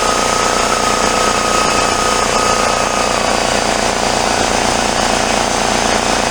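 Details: Free discarded 33-gallon Craftsman air compressor, restarted after bench repair and tightening a leak: loud, fast hammering piston chatter about three beats a second, steady throughout; pump running under load.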